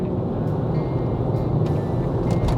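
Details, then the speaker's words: Land Rover Range Rover L322 (ZF 5-speed automatic) after a gearbox oil and filter service, climbing a faster uphill road where it used to struggle: an even, low cruising drone with no whine or flaring revs. The gearbox sounds smooth and isn't slipping. "smooth, doesn't seem to be slipping."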